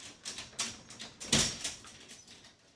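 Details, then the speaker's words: Garage door opener chain catching on the rail/shuttle as the door opens: an uneven run of sharp ticks and scrapes with one hard snag midway. Owner worries the chain could break and drop the door. "I do not like that that door makes that noise. The chain's getting stuck on the pole."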